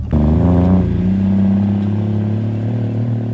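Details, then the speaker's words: BMW with M57 3.0d diesel (E39 3.0d dual-mass flywheel), after flywheel replacement cured clutch slip: strong pull through three gears under load, revs climbing steadily with no flare or sag; clutch holds, normal acceleration. "ехали три передачи плотно дальше сбросили вообще прикольно все держит все супер с кайфом реально эмоции"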